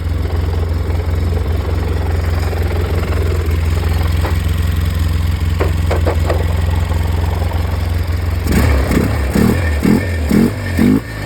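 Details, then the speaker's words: Polaris 700 quad after reassembly, idling around 1350 rpm on the tach, owner unsure of the correct idle and considering 950: uneven, lumpy idle with irregular pulses, clatter and visible vibration. Rough idle. "I think I can live with that. She's a rough runner. I don't know if you can see it vibrating."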